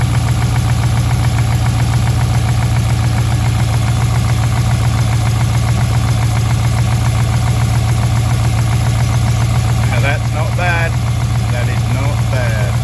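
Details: Rebuilt V8 about 3,500 km after rebuild, with a suspected dead lifter and an unresolved misfire despite good spark, compression and injectors, idles cold with only a light even patter and no heavy lifter tapping: normal cold-start idle.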